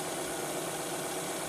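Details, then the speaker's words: Project car after cleaning and epoxy-sealing a leaking hose that caused a lean mixture and stalling, recent cam and accessory belts: smooth, even idle with a steady hum, no knocks, misses or hunting; normal idle. "now listen to the engine run [Music] and there you go it sounds a lot smoother now and it autos a lot better"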